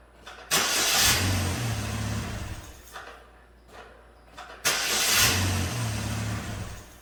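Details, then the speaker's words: 2009 Chevrolet Malibu Hybrid, 110,000 km, transmission in limp mode, restarted after clearing codes with the mass airflow sensor disconnected: two attempts each catch roughly, then sag and die within seconds; owner suspects the disconnected MAF. "let's see if i keep it running i think it's a nice airflow sensor being disconnected"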